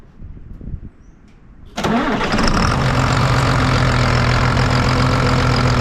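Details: John Deere 8300 tractor, rolled over and being rebuilt, started to check for leaks. The starter catches quickly and the diesel settles into a steady, even idle with a clean rhythmic knock and no misses. Normal start, though a reservoir leak appears at the roughly 30-year-old fitting or hose.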